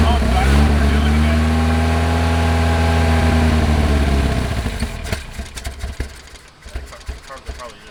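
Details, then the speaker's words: 1979 Lotus Esprit, mid-engine, with a pulse fuel pump and a fuel filter: the engine runs steady and low for about four seconds, then sags and dies, leaving ticks. The filter shows intermittent fuel flow, and the engine is not warm yet. Suspected fuel starvation. "okay yeah okay i don't think we're getting any gas in the car through the car maybe two it looks intermittent too"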